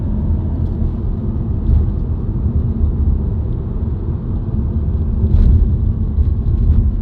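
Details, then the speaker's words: Subaru WRX heard from the cabin while driving: a deep, steady drone under the road rumble that rises in pitch with speed regardless of gear, revs or clutch; the dealer diagnosed a broken centre viscous coupler. "I just wanted to put a little clip out there, or a couple clips or a few clips of what the interior sounds like for broken Viscous coupler, because there's like no videos on it, which is kind of rare. But yeah, that's what it sounds like"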